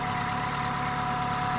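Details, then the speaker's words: Dacia Solenza after head gasket replacement, fully cold first start with oil and fuel systems bled: steady, even idle with a smooth low hum and a faint high tone, no knocks or misses. Runs cleanly. "рівненько от холодний повністю перший запуск ну прокачали систему звісно масляну там паливну то все ну і з першого разу"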